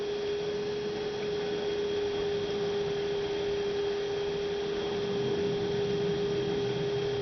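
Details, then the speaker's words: 2006 Toyota Prius coolant bleeding, radiator seemingly full: electric coolant pump clean steady hum at about 3.5-4 amps, run 5-10 seconds at a time to avoid overheating; running normally. "So that's sounding pretty good. I think you only want to run this pump maybe 5 or 10 seconds at a time."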